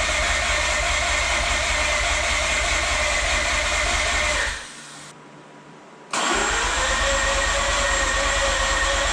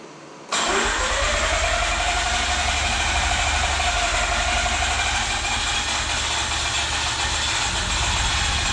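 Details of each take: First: Mazda RX-8 with rebuilt, reinstalled rotary engine, start attempt after deflood procedure, fuel smelled, owner suspects flooded plugs: even cranking at about three beats a second, cutting out briefly then resuming, no firing; crank, no-start. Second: Mazda RX-8 rotary just rebuilt and reinstalled, another start attempt after the deflood procedure with the spark plugs back in: it catches within a second and settles into a fast, buzzy, even idle with no misses; a normal start.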